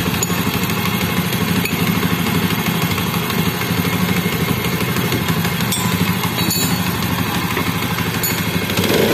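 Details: Motorcycle in a Honda CD80 engine head noise repair: steady, even exhaust beat with no tapping or rattle from the head; normal running.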